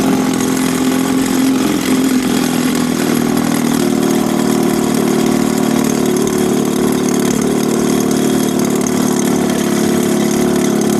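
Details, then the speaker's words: A 1965 Evinrude 3 hp outboard in a water barrel test, just started after new gaskets and spark plugs and after debris was cleared from the water tube and fins. It gives a steady, even two-stroke buzz with no misses, surging or rattles, idling normally. "I'll show you the water that's coming out of there put the thermometer on there and see how she runs starter up all right running good"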